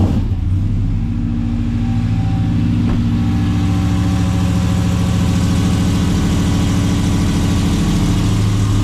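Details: RAM TRX V8 with long-tube headers, high-flow cats, resonators and side-exit exhaust, heard at cold start: deep, steady idle with loud exhaust rumble. The usual tick was not heard even with an ear at the wheel well. Normal idle.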